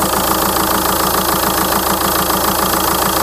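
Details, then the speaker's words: 2004 VW Touran 2.0 TDI 136 hp AZV diesel after tandem pump replacement, warmed up after a drive: even idle clatter at about three and a half beats a second, no hunting, surging or abnormal vibration, stable idle, earlier unstable idle resolved. "régime est stable il y a pas de vibration anormale voyez la différence"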